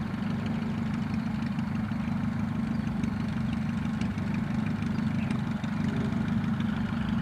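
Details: Rebuilt Piet aircraft engine on test flight day: steady, even low drone at idle, smooth consistent beats with no misfire, knock or hiss; healthy normal idle.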